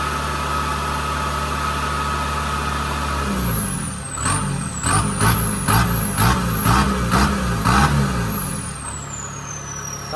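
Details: Kubota combine harvester diesel, under 1000 hours, after turbo replacement for a failed turbo (heat suspected main cause); steady idle then quick blips with clean turbo whistle rising and falling, even, no rubbing or scraping; normal.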